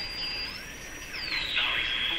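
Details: Sparton Model 5049 radio after replacing remaining wax capacitors: thin high whistle glides up, holds, then drops and settles steady while tuned over a station; spurious oscillation remains, possibly from IF stage.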